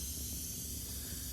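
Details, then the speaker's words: Rapid Air Weapons HM1000x PCP air rifle, pressurized and cocked, after replacing some O-rings. A steady high hiss of air still escapes, less than before. Worn O-rings inside the brass valve are suspected. "It's leaking a lot less. Well, still leaks. Really a bummer."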